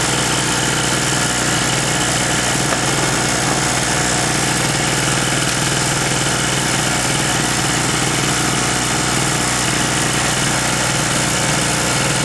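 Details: King Canada 950W two-stroke generator, long-sitting and previously non-starting, restarted after the loose spark plug was tightened, running at no load during voltage testing: steady, even buzz holding one speed with no surging or misses; running normally.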